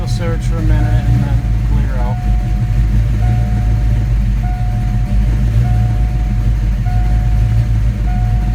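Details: 1987 V8 after Promaxx heads and new rocker arm install, running after battery disconnect: deep even rumble, no ticking or tapping from the top end, chime beeping in background; sounds healthy, normal running.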